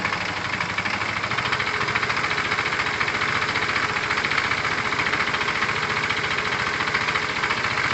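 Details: Tamoretti with replacement carb idling after air-fuel and idle screw adjustment: quick, even single-cylinder putter about three and a half beats a second, no misses; owner judges it near optimum setting.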